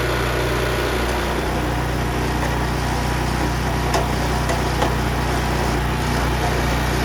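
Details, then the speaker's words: Honda FRC 800 rototiller at low idle after service, fresh oil, idle speed and carburetor tuning dropped slightly, no leaks: smooth steady putter with no hunting or stumbles; healthy idle. "I dropped the idle speed just a little bit, and I dropped the carburetor tuning just a little bit. So I think it runs good now."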